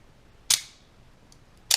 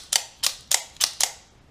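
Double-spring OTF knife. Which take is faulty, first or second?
first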